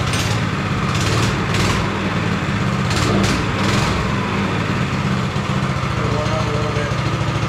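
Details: Go-kart small single-cylinder engine after refitting carburetor and throttle, started on choke: steady, slightly rough low putter with no knocking; normal warm-up.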